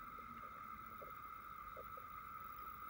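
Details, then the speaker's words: Sony DXC-325P camera with EVV-9000P Hi8 deck, reassembled after infrared filter rot repair: faint steady high whine with a few soft ticks from the camera body alongside picture interference; cause not yet found. "Can actually see a nice clear image, but we've got that interference happening. I can hear something as well from the camera itself."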